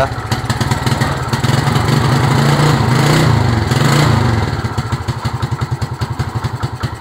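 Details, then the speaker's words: Suzuki Smash motorcycle running rich from a flooding carburetor: uneven, lumpy idle that surges and sags with loose popping beats about three per second, won't hold idle and stalls easily; spark plug found wet. "gitu ya mlebeklebek gak bisa langsam kemudian gampang mati terus kira-kira kira apa penyebabnya"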